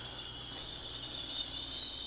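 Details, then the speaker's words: Mr. Coffee tea kettle filled to maximum, reaching the boil after almost 10 minutes; steady piercing high whistle over soft hiss, train-like, whistling normally at boil. "it is definitely making some noise. It's like a train."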